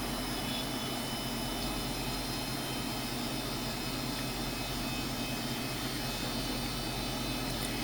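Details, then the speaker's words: 2007 FSP 300W PSU at light load with the hard drive disconnected: thin, steady high-pitched cicada-like whine over soft hiss, seemingly from the main switchers; owner suspects capacitors in this likely group-regulated supply. "and the noise has returned and actually mention again it does like it's coming from the main switchers"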